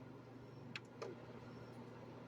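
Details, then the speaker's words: Lasko fan after repair of slow-running, buzzing motor: steady even high-speed whir with low hum, no more buzzing or rubbing vibration. "Ahí lo tenemos funcionando y como pueden escuchar ustedes, pues ya no se percibe el zumbido ni aquel sonido extraño de piezas friccionando."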